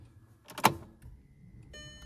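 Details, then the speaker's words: Audi A3 1.9 TDI after a fuel filter change, priming by turning the key on several times (5–8) before starting. A click at key-on, then a short, steady electric hum as the fuel pump fills the filter; sounds healthy. "En fait, vous avez votre pompe à carburant qui va injecter du carburant directement dans le réservoir du filtre. Vous faites ça plusieurs fois."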